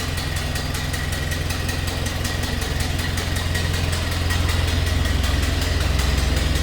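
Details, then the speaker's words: 1931 Ford Model A coupe, three-speed in neutral, throttle eased down: low, even idle with a regular sharp puffing tick from a small exhaust leak; otherwise a smooth runner. "Did mention a little bit of an exhaust leak, but you can hear it now. Want to make the next owner aware of that."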